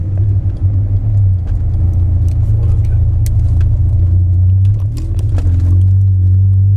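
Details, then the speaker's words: Warm 16V MK2 Golf GTI after raising CO mixture to roughly 2% (from 0.7%); deep exhaust revs cleanly toward 8000 rpm and settles back, whereas before it faltered around 5000 rpm. "it's meant to be revved high and low gears doesn't matter what get here it's got it goes up to 8000 revs but before when i did that it got to about five and it went very sort of dropped"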